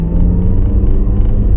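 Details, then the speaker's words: 2011 Nissan Juke 1.6 petrol on road test after brake change, accelerating through third, fourth and fifth gears: deep steady drone pulling smoothly, no misfire, stumbles or gear crunching; healthy engine under acceleration. "all right that we got no misfire or anything like that it's pulling well changing gear third into fourth fine into fifth no issues there"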